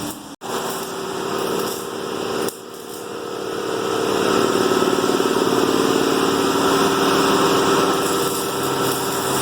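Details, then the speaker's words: 1963 Oldsmobile Cutlass F85 with cherry bomb exhaust at idle: raw, loud puffing pulse about four per second from an exhaust leak at the Y-pipe split, cracked on both sides, probably from a bad motor mount. "It's leaking right at the split up front, so we're getting that done. And I might be able to hear myself think when I drive."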